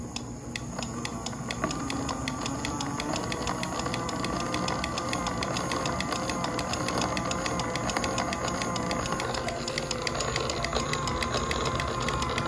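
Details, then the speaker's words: 3D-printed PLA robotic-joint gearbox driven by a 5V DC internally geared brushless motor, under slight hand load on the output shaft: steady gear whine from the input motor plus a limit-switch click every quarter output rotation; normal. "you'll hear a few noises one is more constant and it's the noise of the gearbox from the input motor and then you'll also hear the intermittent click of the limit switch when it is triggered every one quarter of a rotation"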